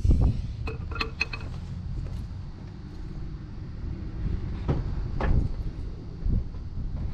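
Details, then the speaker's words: 2005 Scion tC 2.4 Toyota no-start: relay and battery tested good; after only an electrical hum, hammer taps on starter, metallic clinks, then it cranks and catches to steady rumble; dead spot in starter motor, to be replaced. "the fact that I had to hit it with a hammer told me that there's like a dead spot inside that starter motor"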